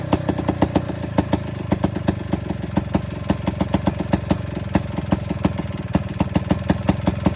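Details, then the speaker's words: Attex 6x6 with two-stroke Rockwell engine, new lighting coil in flywheel and points adjusted, restarted after fuel had likely been accidentally cut off: crisp, even popping at a steady fast idle with no misses. Normal running. "All right, so as you hear, it fired right up. So I think last time I just accidentally cut the fuel off on it."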